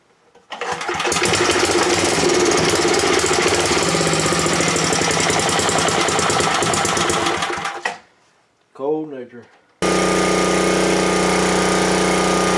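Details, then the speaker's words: Small-engine generator checked with a cheap tachometer/hour meter: idle should be near 1800 rpm and run speed near 3600 rpm, set to about 3650–3700 rpm to allow for heavier load. It catches and settles into a loud, even, fast run; normal. "It should idle close to 1800. Then when I let off the throttle, it should be close to 3600."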